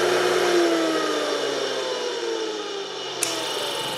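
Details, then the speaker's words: Single-phase capacitor-start electric motor coasting down after shutoff: hum sliding steadily down in pitch with one sharp click late on. This is the centrifugal starting-winding switch working normally; it sparks only on startup, not at shutdown. "but only spark on the startup because there's no power after you shut it off so the spark is from the switch disengaging the starting lines"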